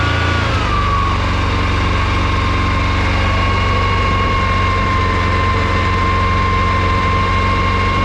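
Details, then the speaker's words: Yamaha Grizzly 550/700 ATV just after a full wet clutch reassembly with an OEM one-way bearing, some nuts not torqued to spec: a steady, even idle with a smooth low thrum and no rattle or slip noise; the clutch sounds healthy. "Oh, perfect. That is exactly how a Yamaha clutch is supposed to sound."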